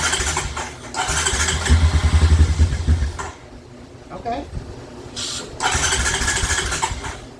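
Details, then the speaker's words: 2007 Honda Recon ATV left abandoned in a field. An uneven chugging crank catches briefly and dies, followed by weak attempts; it is trying to run, but the carburetor is seized and starving it of fuel. "I don't know if if the camera picked that up or not, but you could hear it. She's trying to run, but that carburetor is just locked up about as tight as Fort Knox."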